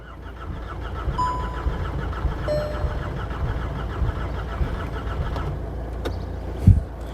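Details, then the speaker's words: VW Golf GTI Mk6 under rebuild with a weak battery and little fuel: starter turns the engine steadily for several seconds with a low churning rhythm and audible compression but it never fires; cranks without starting. "Yep. No luck. No luck at all. All right. So, no successful starts at the moment. We have got compression."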